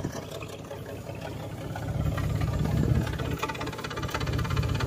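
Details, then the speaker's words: 1994 Chevrolet S10 Blazer 4x4, 4.3 CPI V6, 190,000 miles, sat 3 years; after spider injector replacement, low uneven idle stumbling about three times a second on one bank, still cutting up. Owner suspects injector, plug, wire or coil; blue smoke that side. "still kind of cutting up a little bit too."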